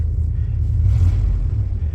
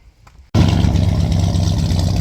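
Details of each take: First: Pickup truck that threw itself into limp mode while driving: deep rumble that sags and falters unevenly, stumbling under load and not pulling cleanly; cause suspected, not confirmed. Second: Torino after vacuum leak repair: quick crank, then a strong, even run with no vacuum hiss audible anymore.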